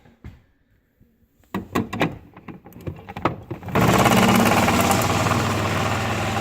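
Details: GE fridge water dispenser with a Coral replacement filter (for MWF) gives a few clicks and knocks, then a steady loud buzzing drone as water flows. Owner suspects a slightly different filter seat causes cavitation; the old filter design worked.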